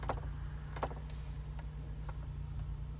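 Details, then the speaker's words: 2002 Ford Explorer, ignition on, climate dial turned to heat: light clicks roughly every half second from behind the dash over a low engine hum, blend door actuator clicking; heat shuts off, actuator to be replaced. "I've turned it to cold and you can see it shuts off when I try to get some heat and after doing some research online I found out that this is an issue with the air door actuator"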